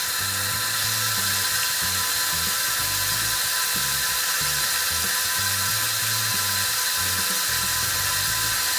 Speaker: let's turn the hot water on and makes a little little whining noise you hear that kind of weird